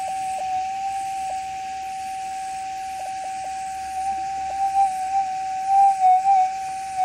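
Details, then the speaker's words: Gold metal detector with RX (receive) gain turned up for demonstration: steady mid-pitched threshold hum breaking up with brief dropouts and wobbles; runs unstable with chatter even after ground balancing, masking target signals. "so you can hear now we're running pretty unstable not extreme but I'll balance there for you it's in Balance so it's not going to change anything it's still going to run unstable"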